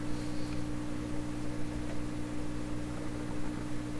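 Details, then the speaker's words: 1928 RCA Victor Model 28V radio with a large loop antenna and a swapped cone speaker, no station tuned: a low, steady, unchanging hum. Suspected power-supply 60-cycle hum, possibly also causing garble on stations. "That's probably power supply hum."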